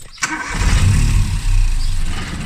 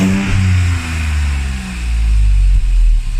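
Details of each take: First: Classic Mini with a swapped modern boosted 3-cylinder engine on its first start attempts: starter click, then it catches with a low uneven rumble that sags and won't settle into idle; owner suspects misfiring. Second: Classic Mini with a swapped modern boosted 3-cylinder engine, after adding an emulator that feeds the ECU the RCM no-crash signal: it blips up and settles back several times, revs climbing and falling cleanly with no misfire or knock; it runs normally.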